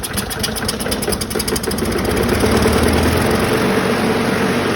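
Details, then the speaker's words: 2009 Craftsman 917.376401 self-propelled mower with Briggs 6.75 engine, leaking gas and not starting: with carb spray it catches and runs ragged and uneven at about four beats a second; carburetor fuel supply fault, rebuilt later. "well that got it going a little bit it needs some work"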